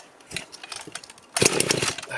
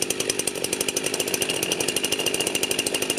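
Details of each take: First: Rebuilt Husqvarna 51 chainsaw, first start after cylinder teardown and carburetor refit: uneven coughing pops catching into a ragged burst on choke, the start smothered by a lot of oil pooled in the bottom end. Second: Freshly rebuilt Husqvarna 51 chainsaw, first runs after choking off bottom-end oil, cold weather: crisp, even high-rev buzz with steady firing, clean throttle blips dropping and picking up without stumbling; healthy.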